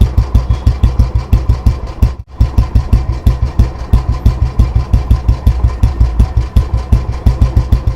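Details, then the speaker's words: Old disposal Royal Enfield Bullet 350 after restoration (engine not opened, only tuned and cleaned; carburettor cleaned, clutch side repaired): deep, even exhaust thump at a steady idle, with clean evenly spaced beats. Healthy engine. "सो आपने इसके engine का भी sound सुन लिया और इसके exhaust का भी sound सुन ही लिया, कितना प्यारा इसका बीट निकल कर आया है।"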